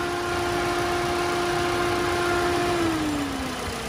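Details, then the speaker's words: Ford EcoSport idling with AC on: radiator fan hum, then it winds down as the fan cuts out. Normal on-off cycling of about 10 seconds each. "ele trabalha assim mesmo tá pessoal ele aciona Passa 10 segundos no máximo ligado aí desliga Passa 10 segundos em média desligado aí liga"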